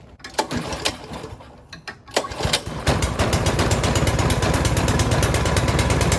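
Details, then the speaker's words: Toro Snowmaster 724 two-stage gas snow blower, newly assembled, carburetor primed 3–4 times: a couple of pulls on the cord, then it catches and settles into an even, steady putter; normal start and idle. "Okay, so I just started it with the pull start, so now I'll show you how the electric start works."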